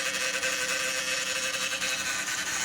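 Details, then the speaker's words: 2016 Dodge Grand Caravan, 62TE transmission, idling: steady high-pitched whine over the engine, louder on one side, not the power steering pump (belt removed); failed transmission oil pump. "then we're going to talk about diagnosing a failed transmission oil pump on a 62 TE Chrysler transmission. So here's a 2016 Dodge Grand Caravan, and it's making this noise."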